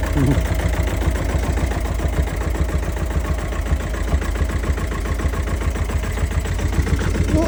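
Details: Engine at idle after being partly dismantled: sharp tapping about two to three per second keeping pace with the engine, a knocking lifter (tappet).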